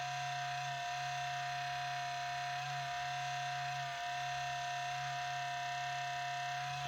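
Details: HP Pavilion 15-209tx laptop, 4 years old, i7-5500U, GeForce 840M, 1TB HDD, cleaned a month earlier: steady electrical buzz with clear high tone at startup, louder and longer than before, fading later; cause unknown.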